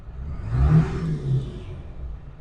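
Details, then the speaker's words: 2002 Ford F-250 7.3 Power Stroke diesel after ICP sensor and IDM replacement, on a test drive under hard throttle: a deep, even engine note swells and eases with no stumble, and the rough idle is gone. "I cranked it up I romped on it probably just have to blow the cobwebs out I don't know let's go take it for a test bin and see give her the beans oh she eats but the good news is the rough idle is gone"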